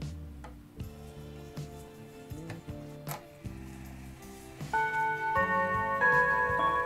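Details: 1950s Junghans mantel clock, W200 movement, four gong rods, tested before repair by spinning the minute hand: steady ticking then full, sustained Westminster chime melody; chime working properly.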